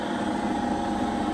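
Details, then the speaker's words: Denford Viceroy pillar drill, Hoover 3-phase motor after bearing replacement: normal running, smooth steady hum with no rumble, growl or ticking; no noise from the motor at the back. "Absolutely no noise from the motor at the back."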